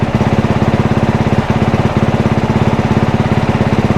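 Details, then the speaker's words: One-owner 2022 dirt bike with about 25 hours, while switching traction control maps: crisp, regular single-cylinder putter at idle, even beats with no stumbles or rattles; sounds and runs good. "Engine kill. As you can see, the thing sounds good. It runs good. I'm excited to get playing on this thing and get it all together."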